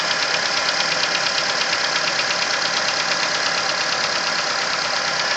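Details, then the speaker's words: Nissan Versa engine ticking at cold idle, heard from around cylinder 3: steady light tapping about two per second over a hissy engine note, more prominent as revs drop, lasting the first 10–15 minutes until warm; cause not yet confirmed. "And specifically hearing it coming from cylinder number 3 or that area. And the noise will continue for the first 10-15 minutes of travel until the engine warms up."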